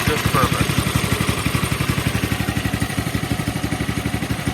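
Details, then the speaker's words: Polaris 110 kids' snowmobile that hadn't run in a while, after bypassing the non-working governor with a direct throttle rod to the carburetor throttle plate: pull-started, it settles into a quick, even putt-putt idle with no stumbling or hunting. Normal idle. "so no more messing with the governor stuff uh since it wasn't working anyway and now little pull start and idles"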